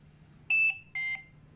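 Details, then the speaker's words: Philips Trilogy 100 ventilator low-priority alarm, e.g. stuck button or detachable battery needing charge: two short high beeps together about half a second apart in a repeating pattern, with solid yellow audio-pause light; low-priority alarm beep pattern. "for example a button is stuck or the detachable battery needs to be charged low priority alarms are two beeps together in a repeating"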